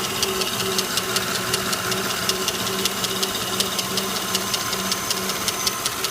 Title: Lincoln town car Rattling\ticking noise. Is the lifter valve making this noise?